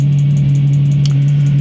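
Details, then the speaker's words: Chinese diesel heater after an E-06 error fix with a new board and the fan reset to about 1 mm gap: loud steady low hum with a quick chirping tick. The fan motor sounds like shot bearings, though the owner hopes it is the new board's programming. "now she's working fine except for that noise sounds like shot bearings both I'm hoping it's something the new it to do with the new boards programming"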